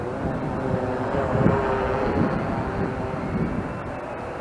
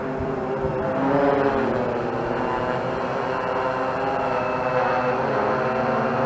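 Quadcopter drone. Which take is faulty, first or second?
first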